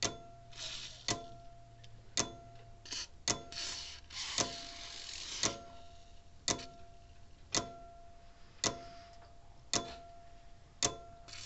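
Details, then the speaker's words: Old Sears mechanical electric fence charger after trying solder braid and a small file on the contacts: crisp snapping ticks just under one a second with a crackle on each closure; the contacts are still arcing. "oh yeah see it's still arcing on this little content it snaps together there's a little arc coming from it"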